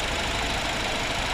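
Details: Rebuilt BMW 320i turbo warm idle after first start: no leaks, coolant (water only) level and temperature stable, oil pressure 2 bar at idle; steady, even hum, no knocks or misses; healthy engine.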